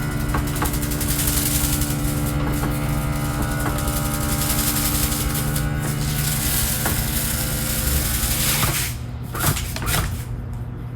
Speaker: So I'm just gonna move it in a little bit and move it out so you know what it sounds like when it's fully extended.